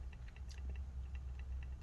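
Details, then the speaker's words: 2020 13-inch MacBook Pro A2251, plugged in: light, uneven ticks several times a second over a low hum; normal trackpad clicking as it powers up. "so the trackpad should start clicking again once it's done uh-oh oh god okay it's clicking now so hopefully it's gonna start powering up on its own"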